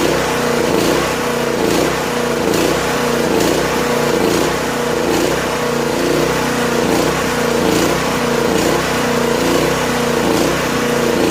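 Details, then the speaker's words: Late-1980s Honda EG2500 generator, stored 4–5 years, on half choke with little fuel in the tank: small engine runs unevenly, surging about once a second without settling, then stalls. Owner suspects it's out of gas; not confirmed. "I didn't put much fuel in it either, so it could be just out of gas."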